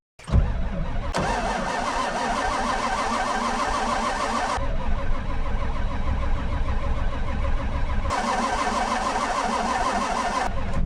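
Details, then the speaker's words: Old diesel skid steer with glow plugs, cold start: steady cranking over ten seconds with no firing; suspected it must crank to build oil pressure, needed to make fuel pressure. "well these old they actually have to crank to make fuel pressure and I need oil pressure to make fuel pressure"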